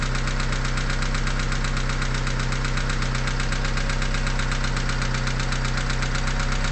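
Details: Cold-start knock at idle on a 4G63T engine with 143k miles: even, steady tapping about four times a second over the engine hum, mostly mornings or after 8–10 hours sitting, lasting about a minute and gone when warm; owner suspects lifters or piston slap.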